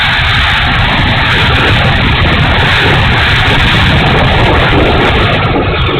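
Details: E-flite A-10 Thunderbolt II RC jet, twin 64mm electric ducted fans: loud roar with a gritty, uneven rasp over the whoosh instead of a smooth note; motor sounds bad and unhealthy, cause unknown.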